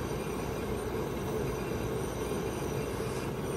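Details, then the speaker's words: 2017 Heatmaster SS G100S outdoor wood gasifier boiler. The front damper opens to almost 100%, full demand, and the draft fan pulls a steady, even rush of air with no pulsing or rattle; normal. "Hear the air starting to suck through there. There's a damper on each side here. Just starting to open up in there. There she goes, almost at 100% there."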